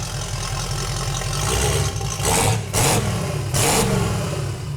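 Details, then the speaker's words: 1971 Datsun 240Z "Rotsun" turbo engine just started after work: revs climb and drop quickly with sharp airy whooshes as throttle closes; blow-off valve venting, engine revs fast and healthy. "Ah, Funky. blow-off valve's working. Dude. That revs pretty fast."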